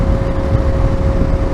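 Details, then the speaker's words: Dunlop Trailmax Raid semi-knobbly tyres on a motorcycle around 1000 miles, at indicated 77 mph (GPS 70): steady mid-pitched tread hum over engine and wind noise, loud even with earplugs, much quieter at indicated 70. "en some semi knobblies they're not great when it comes to noise like they're normally quite noisy they hum quite a lot up to 70 M hour or in indic indicated 70 mph"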